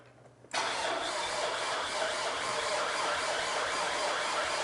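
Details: Alfa Romeo 159 Sportwagon after a top-end rebuild, first start attempt after six months: the starter whirs steadily with an even drone but never catches, then stops itself; cranks, no start.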